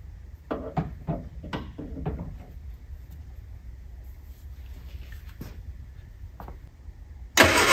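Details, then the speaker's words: Classic Innocenti, possibly not started this year; its battery could run the fuel pump but not crank the engine, so it was started with a small jump pack; a few quick uneven cranks, then it catches; weak battery. "this one had enough power to run the fuel pump but not quite enough power to crank over let's try the jump pack"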